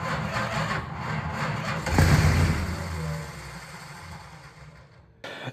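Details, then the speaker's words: 1971 Plymouth Road Runner 383 with 727 HD transmission, off the road 35 years since 1989, first start: fires right up on a little gas but runs very noisy and rattly with loud clattering, then dies; rough first start after long storage. "that's what it was it was very noisy and very rattly but it just fired right up like it was parked yesterday"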